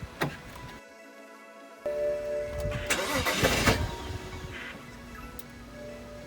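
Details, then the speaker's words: BMW 335i E90 N55 after replacing spark plugs and coils and reconnecting the battery: starter whirrs steadily and the engine briefly catches but won't keep running; crank no start, cause not found. "she's trying to now she's cranking she's trying to pick up"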